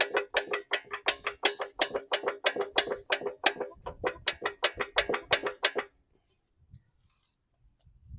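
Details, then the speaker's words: Briggs & Stratton 300E series engine on a 2017 Hyper Tough mower, turned over by the blade: sharp regular clicks, about three a second, a bottom-end knock with lots of play; connecting rod bearing suspected, silver swirl in the drained oil. "So you can hear that noise. I'm guessing it's connecting rod bearing. A lot of play."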